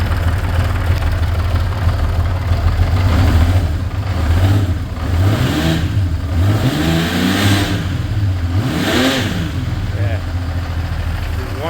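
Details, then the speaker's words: 47-year-old Honda CBX, clutch never rebuilt, started on a cold day: low engine drone with a light clutch rattle that eases when the clutch is pulled in, during gentle revs. "It's got a little clutch rattle. You can hear it gets better when you pull the clutch in. It's, you know, 47 years old and has not been rebuilt."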